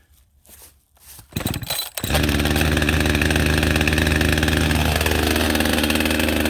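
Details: Husqvarna 562XP AutoTune chainsaw restarted warm, choke off, at high idle, with the air filter severely restricted by duct tape to test AutoTune compensation: after a few pulls a steady buzzing high idle sags slightly in pitch.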